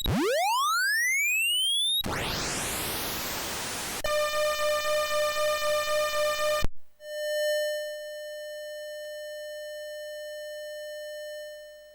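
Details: Commodore 64 SID sound chip, which sounded fine in the diagnostic test, playing voice 3 in Andrew Chalet's SID tester: clean rising sweeps and hiss, then a buzzy pulsing tone that cuts out abruptly before a flat tone. Voice 3 is faulty.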